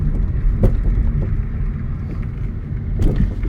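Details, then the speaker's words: 2008 Kia Optima LX four-cylinder on test drive: dull thumps over bumps under wind and road rumble; owner first suspected worn front struts, then thought tie rod ends may need replacing; front suspension knocking, not confirmed. "i bet these front struts are gonna be worn out let's see oh yeah i hear them popping"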